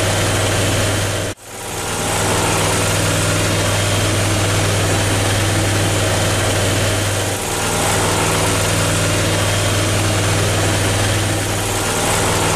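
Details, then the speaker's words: Briggs & Stratton Vanguard 37 hp EFI engine; a steady, even idle with no misses and the fault code light stays off, a big improvement over before. "lot better that sounds a lot better doesn't even sound like the same engine running our fault Cold Light never came on this time"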